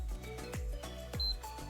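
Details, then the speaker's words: PS5 motherboard after replacing blown fuse F700 and shorted capacitor: short clean power-button beep with LED now lighting; powers on normally. "tumunog may led na kanina Walang led so think umaandar na po"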